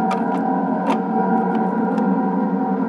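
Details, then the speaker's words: Mattel Optigan Model 35011 organ after op-amp replacement in the preamp (hum fixed): a steady low drone with faint clicks while no keys are pressed, scope showing constant signal on the keyboard channel; leak cause unconfirmed. "this is with the scope connected to the keyboard channel we can see this constant signal here and the pressing anything is no no keys though but we've got this constant powerful from the front there"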